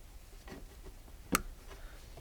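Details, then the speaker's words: 1999 Renault Clio 1.6 16v that won't start, pump fed 12 V straight from the battery with a good ground: one sharp click as the lead touches, then no pump hum at all, so the fuel pump appears dead. "voilà donc la pompe ne fonctionne pas on l'entend pas je suis bien branché sur le 2e est ici et je n'ai rien du tout sur la coupe donc la pompe a priori à l'air en panne"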